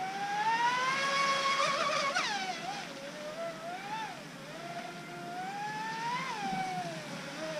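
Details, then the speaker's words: Joysway Rocket 26 RC race boat on 4S with plastic props, test run after the flex shaft end was re-glued with 24-hour epoxy and the drivetrain modded; high electric whine rising and falling with throttle, smooth with no rattle or knock; repair successful, normal running. "these test runs were really successful so i'm pretty happy with the repair result of the flagshaft"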